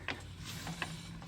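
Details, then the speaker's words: 2007 Toyota Camry Hybrid hums while driving, louder when cornering; with the wheel spun by hand, a low rough drone with gritty rasps about every 0.4 s confirms wheel bearing grinding. "and you better hear that horrible GR hiting in your ears I wish you can spin it for me but I clearly hear it"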